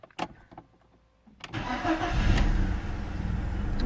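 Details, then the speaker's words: BMW E36 318ti with supercharged M44 engine, first start after sitting a few months: a few clicks, short crank, catches cleanly into steady even idle with no misses; healthy start. "not too bad considering it hasn't been started in a few months."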